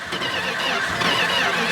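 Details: 1969 Dodge Charger V8 with remanufactured Holley carburetor, sat for years: starter churns steadily a couple of seconds without catching, choke open; accelerator pump diaphragm suspected; it later fires and runs.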